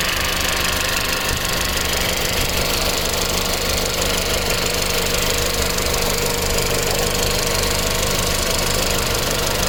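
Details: Audi B7 A4 1.8T, tuned, with metal injector cups, new cam chain tensioner, new evap purge valve and upgraded fuel pump, no codes. Fast light ticking about three a second only when hot at idle; owner suspects low oil pressure to the tensioner.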